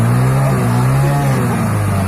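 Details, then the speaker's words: Hero Passion Pro motorcycle after a full engine rebuild, idling while the carburettor mileage screw is tightened and loosened: a steady, fairly fast, even drone; a lower idle gives better mileage, but not so low that the bike stalls. "इसकी आवाज़ भी आप पकड़ सकते हैं और जितना कम आवाज़ रहेगा, जितना कम रेस रहेगा दोस्तों आइडल में, आपका जो बाइक है उतना ही ज़्यादा माइलेज देगा।"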